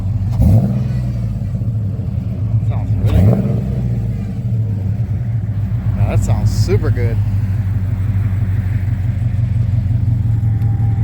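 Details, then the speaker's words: Project car's first fire-up, run briefly without coolant, exhaust with one resonator added to avoid being too loud: deep, even rumble swelling cleanly with each throttle blip, no rasp or rattle; normal exhaust note when revving. "That sounds really good. I think it sounds perfect right there. The other way without that one resonator was going to be too loud."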